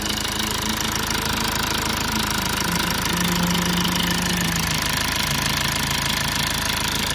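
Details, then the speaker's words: 2008 Lexus IS220d diesel after fault repairs, left off about half an hour, remote battery needing replacement: starts straight away into steady even diesel idle, no misses or knocks, airbag light goes off, no warning lights; battery charging. "okay started straightaway look at that even the airbag light it's going off so no lights at all"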